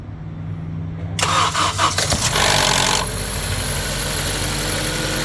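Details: 2013 Honda CR-V at cold start: quick metallic clatter for a second or two, then settles into idle; timing chain rattle.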